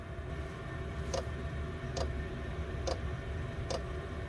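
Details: Chinese diesel air heater at start-up, about 13 degrees ambient: steady fan rush with a crisp tick roughly every 0.85 seconds as the fuel dosing pump kicks in, pulsing normally.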